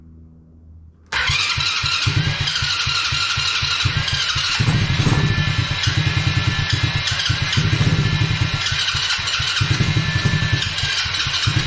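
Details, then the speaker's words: Coolster 110cc fully automatic quad, sat two years, first start attempt with petcock just opened: long cranking, fires briefly but won't run; carb overflow leaking afterward, float stuck open or wrong height; carburetor suspected. "all right so look like it almost started there for a second"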